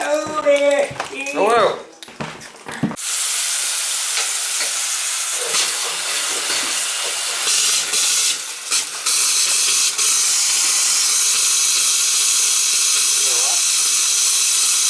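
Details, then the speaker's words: Gas water heater whose flame would not stay on, back in service: a steady rushing hiss with breaks and surges from an open tap upstairs as trapped air is bled from the hot water line. "there's probably a little air in there still you know i'm gonna go upstairs and bleed the air out of the thing"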